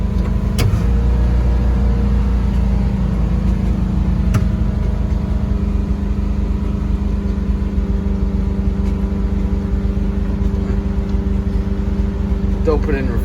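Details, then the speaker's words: 1972 Volkswagen Westfalia bus, first drive in 14 years, new brakes and rebuilt calipers: deep steady engine roar held at high revs without dropping to idle, random revving without touching the throttle. Cause suspected, not confirmed. "and with this uh random revving i don't even have to touch the throttle it just drives itself so it's great"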